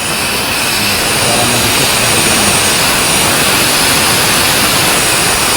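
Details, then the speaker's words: Gas stove regulator just fitted to a new cylinder: loud steady high hiss of gas escaping at the regulator–valve seal, wasting gas and a fire risk; rubber seal to blame. "suara mendesis seperti itu kalau kita biarkan tidak kita batasi itu tentu saja pegas yang cepat habis kemudian juga akan berbahaya karena bisa terjadi kebakaran kalau tersambar Api"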